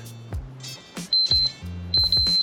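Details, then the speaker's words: Multimeter continuity beeps across Mercedes SL rear window heater relay pins 30 and 87 on the bench when the lever is closed; clear, steady high-pitched beeps show the relay contacts are good, though the relay may have needed a clean. "which it does so it tells me that the relay the contacts look good otherwise I wouldn't be getting a decent decent continuity there"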